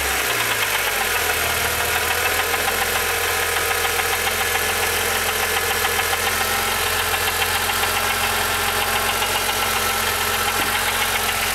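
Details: Rebuilt S20 transmission: steady gritty grind over the idling engine that stops whenever the clutch is pushed in; points to the gearbox input side, most likely a bearing.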